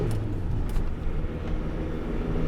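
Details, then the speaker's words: 2002 Renault Master 2.2 dCi on a road test: low engine drone under tyre and road rumble, pulling cleanly under load with no hesitation; power restored, running fine. "there's nothing wrong with this now"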